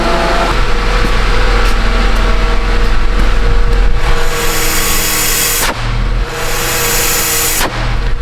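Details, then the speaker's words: 2015 Honda CR-V after welding on replacement rear exhaust flanges: steady deep drone with no puffing or ticking at the joints, only exhaust out the tailpipe; exhaust sealed and healthy. "sounds like he's all sealed up you just hear it blowing out of the pp hole back there"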